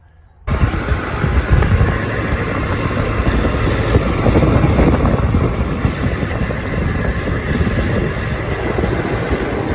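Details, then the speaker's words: Trane XB100 outdoor AC condenser unit: loud, fast buzzing rattle with a metallic ringing over the fan's steady roar, worse at high speed. The top panel is suspected loose and vibrating. "so you can see that there's a loud rattle noise to it and i think it's coming from this top and you yeah you can hear it click and it has that loud ringing noise to it when it gets going really fast"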